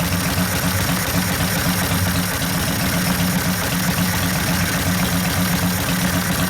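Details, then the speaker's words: 1972 Harley XL Ironhead Sportster bobber, motor rebuilt after wasted pistons and a torn pinion bushing and now with a good transmission, gives a deep, loping, even V-twin idle with no knocks or ticks. Sounds powerful. Normal idle. "That's what real Harley sound like, not that modern crap. Sounds good. Yeah, I fucking love it. Sounds powerful."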